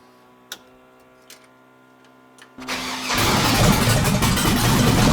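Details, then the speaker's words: Junkyard LQ9 6.0 LS swapped into a Chevy S10, first start with no coolant and MSD on a default setting: a brief crank, then a loud, lumpy, unsettled idle; rough idle that needs tuning, cause not confirmed. "It sounds like it's going to be rowdy. Definitely got some tuning to do, kind of stuff to play with it to get it to idle better."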